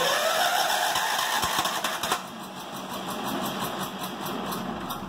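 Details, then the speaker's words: John Deere started on full choke, finicky and popping. It catches and runs unevenly for a couple of seconds, then dies: stalls after starting. Owner suspects low compression or loss of prime; has a new carburetor and thinks a new fuel line will fix it. "I'm thinking this doesn't have a whole lot of compression in it you can hear it wants to go but it's UN's runs out of its Prime"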